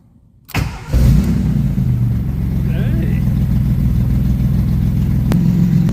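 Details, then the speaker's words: Maserati Biturbo first start with a new custom 2.5-inch exhaust only tack-welded: loud, raw, throbbing idle with a harsh rasp from badly leaking exhaust joints, so it is not the final sound. "So, most of the noise is actually coming from right in here. Right now, it's the exhaust leaks are so bad."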